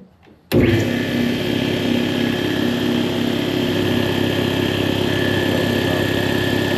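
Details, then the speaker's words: Air compressor running with a faulty check valve: a steady, hard motor drone with a faint hiss as air leaks out at the unloader near the pressure-switch base plate, which wrongly suggests a bad pressure switch. "valve as you can hear air escaping uh if you put your finger down below the unloader near the base plate of the pressure switch you can feel the air there"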